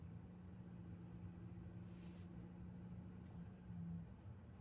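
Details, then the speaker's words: Lada Vesta in reverse under load, clutch released, around -3°C: steady low engine hum with no tapping or rattle; the load-dependent rattle, first appearing in frost, traced to the filter and now gone. "ну все нету этого звука значились этим от этого фильтра зараза и было"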